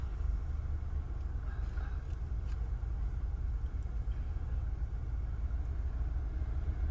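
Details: 2020 Nissan Altima after repair (injector and part reinstalled) with earlier misfire, shaking and DTC P10C3: smooth, even petrol idle, a low steady rumble with no stumble or shake.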